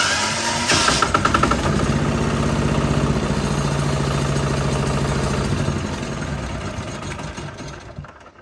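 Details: 1975 John Deere 300 modified for winter use with a Chinese diesel, cold start: cranking with the decompression lever held to build rpm, then pushed in, turns over steadily, catches and settles into an even diesel run; clean normal cold start.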